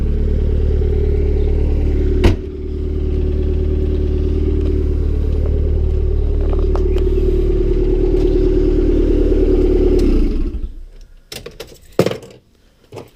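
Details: Honda Civic D16Y7 turbo (skunk2 inlet, Mishimoto intercooler, T3 top-mount manifold, Bosch 550cc injectors), cold start the day after spinning a rod bearing shell: rough idle with dull quick rhythmic knock under exhaust note before shutdown; engine declared finished.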